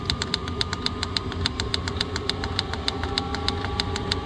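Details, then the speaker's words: Chinese 12 V diesel parking heater at 5200 ft elevation, dosing pump raised from 0.8 to its 2.8 maximum at max fan: rapid, even ticking about five to six per second over a steady fan rush. Fuel pump at maximum frequency. "So 2.8 is my max. It's going to run like that. You hear it's pumping faster and the fan ramps up."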